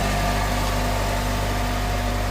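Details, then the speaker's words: Honda H22A petrol engine after valve clearance adjustment: smooth, steady idle with no misses; random misfire codes P1399/P1300 and lazy start fixed, after plugs, leads, cap and igniter were changed. "It's not misfiring."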